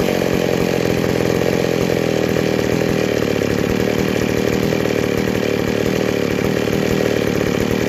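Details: McCulloch 797 chainsaw after converting to a Stihl 090 Tillotson carburetor, idle not yet adjusted, test run outside: steady high revs, loud even buzz with no misfire or stumble; engine runs cleanly on the new carburetor.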